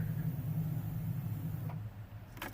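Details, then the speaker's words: 1987 Jeep Comanche, AMC 4.0L, 115,000 miles when bought, after replacement fuel pump died and its ground was relocated/cleaned: key-on low steady hum under two seconds then click, fuel pump priming normally. "Alright, I heard it prime. I'm going to prime it a couple times."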